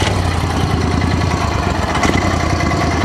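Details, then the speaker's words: 1995 Max II 6x6 with 16 hp V-twin, running: steady low even pulse with slight speed wander; owner suspects the governor needs adjusting, though it runs good. "I think it's kind of governor issue you gotta run the truck out a little bit you can hear it that's pretty sure the governor needs to be adjusted"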